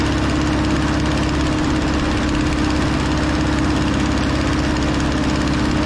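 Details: Over-80-year-old Ford 9N tractor running after its first revival: a fairly even idle with a steady raspy puffing over the low rumble from an exhaust leak; otherwise quiet. Antifreeze smell makes the owner suspect a head gasket.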